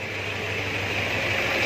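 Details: Toyota Hilux 2KD diesel with P0488 and power loss traced to throttle body wiring, after fault reset by scanner with check light off: steady, even idle with constant low hum, no knocks or misses.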